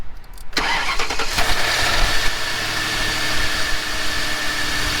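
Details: Ford Panther-platform V8 (Crown Victoria/Grand Marquis type) cold start: cranks briefly, catches and settles into a steady, even idle with no knocking from below; the other car shows possible bottom-end noise when cold until oil pressure builds.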